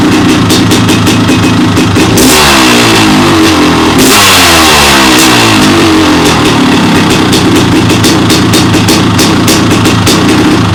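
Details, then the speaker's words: 1998 Honda CR500AF (ex-factory CR250 converted to CR500 two-stroke), started off the stand, tried without choke: crisp crackle climbing and falling cleanly through several blips, crisp pops at idle; revs freely and runs strong. "i'll get it fired up so you can listen to it running and then we'll run it around the garden"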